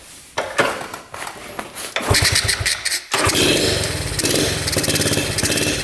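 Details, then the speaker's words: 1972 Honda CT70 with bogging problem, timing checked against F mark: small single revs roughly, popping and stumbling as throttle opens with no clean pull; ignition about half an inch late, retarded timing, points gap to be adjusted. "Yeah, we're not even close. No wonder this thing's not running right."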